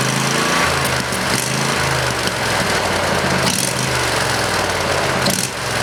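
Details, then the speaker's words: Briggs and Stratton 20HP V-twin Model 40 after carburetor cleaning and reassembly: even, steady beat with clean unbroken rhythm, no stumbles or misses; pretty good running engine, normal running. "well guys I guess that's about it seem to be a pretty good running engine"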